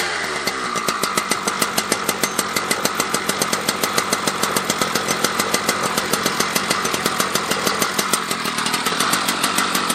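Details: Husqvarna 281/288 chainsaw revived after a no-spark fault, with a replacement coil, fresh gas and a new pull cord, started with decomp: crisp, even high-revving buzz with a steady firing rhythm, no misses or surging; it runs healthy.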